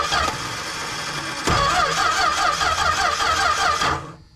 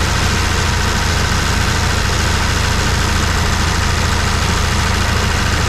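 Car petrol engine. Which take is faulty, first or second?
first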